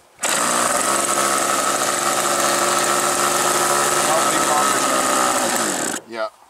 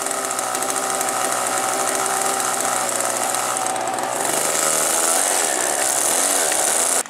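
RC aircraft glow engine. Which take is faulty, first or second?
first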